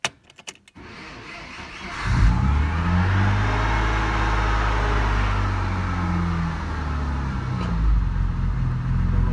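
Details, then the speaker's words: BMW E34 with M50B20 engine, cold start at −2 °C with a weak battery: brief crank, catches about two seconds in, then a low steady idle with no tapping. Runs fine cold; the owner says lifters or injectors rattle once warm. "при запуске холодном двигателе работает нормально при прогреве в общем начинает араба"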